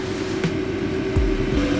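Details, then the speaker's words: New Maxpeedingrods 2kW diesel heater replacing an eBay unit in a 1990 Citroen C25 Elddis motorhome, fed from the leisure battery at 13 V: steady fan hum over low combustion rumble, clean exhaust, warming well; normal running. "yeah nice clean burning exhaust as well yeah and it's uh certainly getting nice and warm in here"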